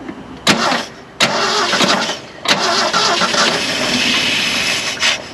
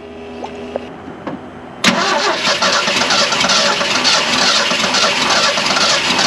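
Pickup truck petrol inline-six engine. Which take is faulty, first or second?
first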